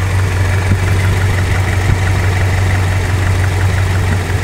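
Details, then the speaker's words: Toyota Kijang after setting distributor points, ignition timing shifted from about 15 to about 25 degrees (retarded): low chugging idle with more vibration and lumpy blubbering exhaust beat; uneven idle from retarded ignition timing. "Nah sekarang kita kurang fokus untuk getaran mesin ini agak lebih getar ya karena kita coba ukur lagi untuk timing pengapian"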